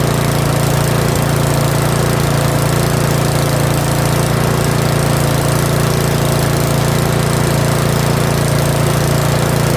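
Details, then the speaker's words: Curb-found Yard Machines 21-inch 179cc OHV snowblower, possibly old fuel, off choke at full throttle: loud, steady single-cylinder drone at high speed, even without surging or misses; normal running. "That's full throttle. That was full throttle. I'll let it run for like another minute."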